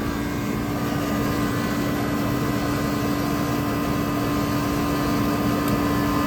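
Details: Walk-in freezer with ice buildup: the condensing unit starts once the thermostat opens the liquid line solenoid. A steady compressor hum with constant tone and fan rush, even and unbroken; running normally.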